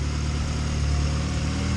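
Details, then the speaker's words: Honda EK hatch Type R turbo on its first start after an intercooler and piping install, on pump gas, with new parts smoking as they burn off. A low, smooth, steady idle with no ticks, knocks or stumbles, and no leaks. "But yeah, this thing's running pretty damn smooth. Nothing's leaking."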